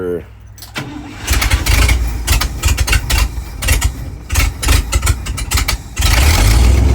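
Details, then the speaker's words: 1968 International Loadstar, 392 engine, first start on new reefer tank and Holley inline electric fuel pump after mechanical pump failed: cranks, fires, runs unevenly, sagging and surging near stalling; idle and gas pedal need adjustment. "Alright, I gotta say I'd call that kind of a win. Sounds like it's gonna die. Idle needs adjusted."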